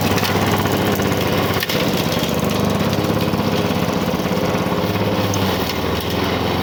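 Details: 1985 Lawn Boy 7350 two-stroke mower, revived after years outside, cutting heavy weeds; steady burble holding even under load, no misses or knocks; owner says good running old mower, but RPM seems a little low.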